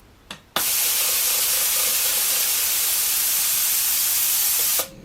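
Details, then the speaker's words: Home-built CNC minimum quantity lubrication mist nozzle after start-up pre-lube shot: steady airy hiss holds about four seconds then cuts cleanly as it switches to the normal low flow rate. "High flow rate, and now it's gone to the low flow"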